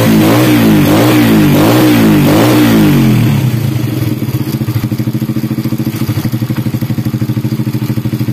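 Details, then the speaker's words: Honda Supra Grand after cam chain replacement, previously rattling badly from a worn roller: starts with a couple of blips, then an even, steady putter with no chain rattle, exhaust a bit loud. Normal running. "Nah kayak gini suaranya Udah halus kembali ya Tadi parah banget gemericik banget ya karena roll katanya habis nah ini udah mendingan ya"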